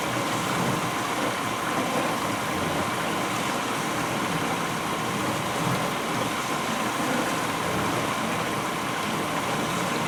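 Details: 1991 GE Potscrubber dishwasher on its first wash with a loaded rack: a strong, even hiss of water spraying at full force, faint dish clatter, no knocks or grinding. Normal wash spray.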